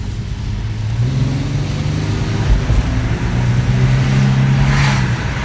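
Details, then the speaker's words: Cadillac CTS on a test drive after driveshaft support bearing repair: under hard acceleration the engine pulls strongly with a steady low drone. The earlier sledgehammer-like thumping underneath, heard only under hard acceleration, is gone. "noise is all gone doesn't sound like someone's hitting the bottom of the car with a sledgehammer"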